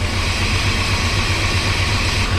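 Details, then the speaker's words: 1995 GMC Sierra 2500 350, bought overheated with a blown coolant line, idling: a steady low throb with rhythmic huffing from the cooling system. Smoke in the coolant suggests exhaust in the cooling system; a blown head gasket is suspected but unconfirmed pending a leak-down test. "Well, y'all, I'm sure that's not good, and that's not good. It's huffing."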